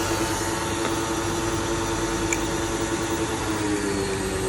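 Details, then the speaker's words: Small electric pressure washer after repair of its pressure switch set and O-rings, left running two minutes as a test: steady, even motor hum with no surging or cutting out; weak only at first until the water system fills; normal running. "ครับแรงแล้วครับเปิดครั้งแรกจะไม่แรงนะครับเพราะว่าในระบบน้ำยังไม่เต็มระบบนะครับเพราะเวลาน้ำเต็มระบบแล้วก็จะแรงปกติครับ"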